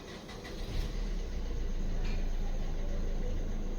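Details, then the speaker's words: 2014 Maruti SX4 diesel, previously cranking but not starting with security light blinking; after main relay fault (P0685 ECM/PCM power relay control circuit) fixed and code cleared: starts and runs a low, even idle with no misses or knocks, no warning lights. "एक बार गाड़ी start करके देखेंगे okay गाड़ी भी start हो गई है देखिए कोई लाइट भी नहीं आ रही है"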